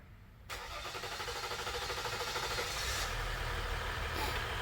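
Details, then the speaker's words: Dodge Ram 1500 3.0L EcoDiesel with long crank and hard starting; the starter churns steadily about three seconds before the engine catches and idles. The crank sensor signal is delayed, and a failed crank sensor is suspected. "All right. Yeah, it's a major delay. That crank sensor probably broke."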